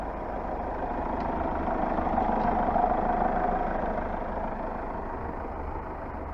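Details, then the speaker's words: Hyundai Starex 2.5 diesel warm idle after a full rebuild following engine seizure (new pistons, rings, turbo, intercooler, balance shafts, chains, water pump); even, steady low knock rhythm with no rattles; engine healthy. "В общем, все. Движочек работает. Все собрано."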